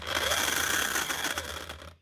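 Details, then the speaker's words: Bosch GSH 5 CE hammer, made June 2024 and only months old: a harsh rattling grind over a high motor whine, rough as it runs down. Gears stripped and armature sparking; needs a new motor and probably a crank. "So this one ain't sounding good. Oh, that's just nasty. So you can hear the problem straight away. There's gears stripped out here, but also a"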